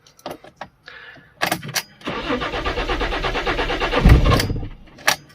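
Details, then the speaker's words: Neglected Fiat Stilo Abarth not run for years, previously idling high with lifter noise, in neutral: steady fast starter churning for a few seconds with no clean catch, hard starting again, cause not yet found. "Let's start it. As you can hear, it has trouble starting again."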